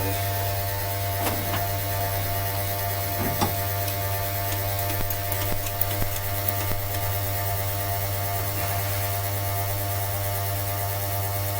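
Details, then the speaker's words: 1966 Dodge A100 van, 225 CI Slant Six, cold start after a long lay-up: steady low electric hum with a few faint ticks, engine not running, as the electric pump primes the carburetor directly. Electric fuel pump priming normally. "The advantage to this fuel system I use too is we don't waste the battery trying to prime the mechanical pump. This thing's just going to make the carburetor prime directly."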